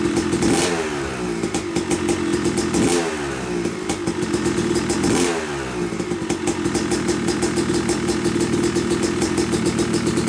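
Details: Yamaha YZ250 two-stroke motocross bike (250cc/270cc) after year-long full engine rebuild (bottom end, transmission, bearings, clutch, power valve), first start-up: crisp ring-ding with clean throttle blips, then steady crackly idle; break-in smoke normal; healthy running.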